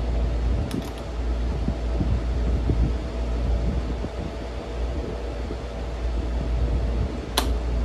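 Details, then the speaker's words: Vintage RAKS DF-12TK desk fan, made in Turkey, after lubrication and greasing with blade fitted: steady low hum at constant pitch, no scraping or knocking; spins freely, working fine. "So I think that's working fine."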